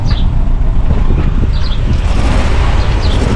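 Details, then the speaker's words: Engine just converted to ethanol with injectors refitted, idling on three cylinders with a heavy, uneven stumbling thump. Cause: one injector drawing air; fix is replacing its seal. "Les injecteurs sont montés, mais pour l'instant elle tourne sur 3 cylindres, elle tourne vraiment pas bien."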